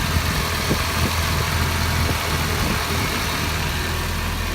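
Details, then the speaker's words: Nissan KA24DE four-cylinder running on a low, steady idle with no stumbles after an ignition switch replacement cured a starter-click no-start; owner suspects a vacuum line leak near where a freeze plug was done. "but it starts and it runs"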